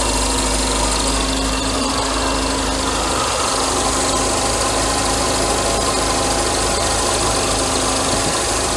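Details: Mercedes W124 300E six-cylinder petrol idling while warming up after alternator replacement and belt retension, later charging 14.1 V: even idle, steady hum, faint belt whir, no misses or surging; normal idle.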